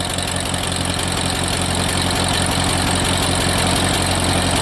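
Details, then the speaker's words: Ford 8N tractor bought at scrap price, sat unused for years, first start after fitting a battery and spraying carb cleaner: steady idle with fast even valve clatter about four ticks a second; owner suspects no oil flow for years, maybe dirt from sitting. "it's smooth it's got some red valve platter probably because it hasn't had oil flowing through it in years"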